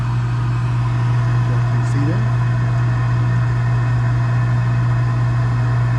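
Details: Gas package unit, newly replaced draft inducer motor (old one was extremely loud, like a lawnmower), new hot surface igniter, cleaned burners: steady low hum, no rattle, scrape or bearing squeal; inducer spins smooth and quiet, normal.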